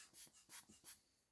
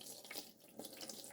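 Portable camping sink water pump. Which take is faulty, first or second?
first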